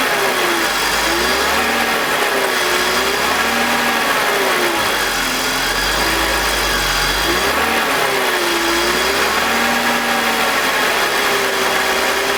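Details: BMW E46 with M52TUB25 six-cylinder at idle, VANOS disconnected while testing a suspected VANOS grinding noise (worse at startup): smooth, even idle with small speed swings and no grinding from the front of the engine, a normal idle.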